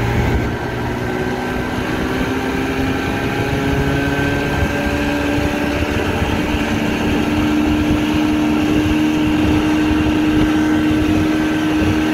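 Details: Restored 1962 Evinrude Fastwin 18hp two-stroke outboard on a lake test, running 24:1 fuel mix from a pressure tank after repairs including a new throttle cam roller: steady even buzz holding a clean constant pitch, no misses or knocks; running normally.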